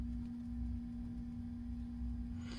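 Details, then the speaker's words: Alde 3020 inline circulation pump in a 2015 Bailey Unicorn III Barcelona caravan. With the pump turned up from its lowest setting to about 1–2, a loud, steady jet-engine-like whine rides over a low hum. The pump is failing and needs replacement. "sort of sounds like a jet engine and that was the problem that we had so originally the pump was making that sound when the pump setting was on 1.5 so i knew that the pump was a bit"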